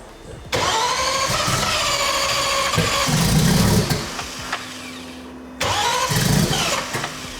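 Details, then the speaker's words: 2700+hp VL drag race car, no primer pump: two long uneven starter bursts with no firing; hard cold start because there is no fuel pressure, needing brake-clean spray to start cold. "If you want it to start good cold, you need to spray fucking brake clean in it to get it. You're never gonna get it to go when it doesn't have fuel pressure."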